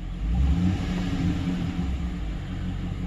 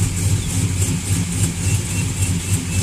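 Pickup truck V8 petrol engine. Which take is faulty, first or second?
second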